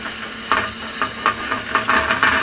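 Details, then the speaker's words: Saw cutting junk metal with a blade having a couple of damaged or missing teeth: steady cutting hiss with sharp "poink" ticks about every half second from the broken teeth. "there is a couple of teeth that are not in good shape or missing on it so every now and then you may hear the blade go poink poink"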